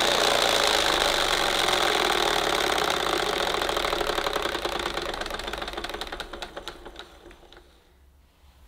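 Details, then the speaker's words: 1975 Hoover U4034 Ranger Senior vacuum cleaner with a very worn belt and brushes and an agitator in terrible condition, running with the brush roll exposed: harsh rapid clattering over the motor whine, then coasting down; noise likely from the agitator, motor itself sounds smooth. "don't sound too healthy so I think a lot of the noise is coming from the agitator so we'll soon find out"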